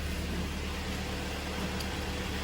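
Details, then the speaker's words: Kia Sportage G4KD, 106,000 km, first start after engine rebuild for knocking: oil pressure up, quiet steady low drone with no tapping or rattles, even idle. "пробуем давление пошла работает ровно все хорошо"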